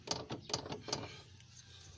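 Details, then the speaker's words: Nissan Sentra that clunks over humps and rough roads, front wheel rocked by hand: three sharp, loose clunks from a worn tie rod end, ball joint and CV joint, which are to be replaced. "Yung galing yung ingay na yan sa tirod in joint tsaka full joint tsaka dito sa velocity."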